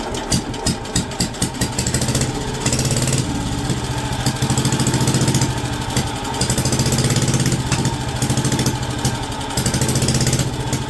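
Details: WWII Wisconsin AB Signal Corps generator, revived after about 70 years unused, almost warmed up with switches on, putting out about 12 volts on the low AC circuit. A few uneven firing pulses, then an even, steady idle, no knocks or misses; normal idle.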